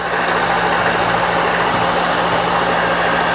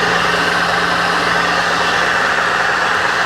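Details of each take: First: Free milling machine left outside a year, cleaned, oiled and powered through a VFD: steady even motor hum with one brief mechanical clack from the quill; stops, quill return and brake work; runs healthy. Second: Mill left outside a year, rust cleaned and oiled, first run: constant motor hum with faint even whirring hiss; noise from one or two bearings in the drive motor, head nearly silent.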